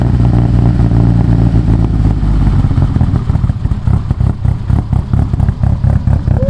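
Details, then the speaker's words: Mitsubishi Evo 8 (800whp build), first start after motor install: a loud, lumpy, even idle with light top-end clatter from lifters still filling with oil, which is expected to quiet down. Oil pressure is good and there are no leaks. "it's gonna be a little bit noisy hopefully you can hear me the lifters got to fill up with oil obviously you know quiet down but still pressure is good"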